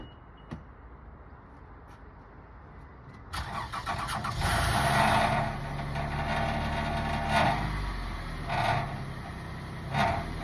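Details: Toyota Alphard rattle heard while driving, reproduced at engine start and idle: irregular tinny rattling bursts over steady idle, traced to a loose exhaust heat shield protecting the petrol tank; exhaust otherwise looked decent; located and fixed.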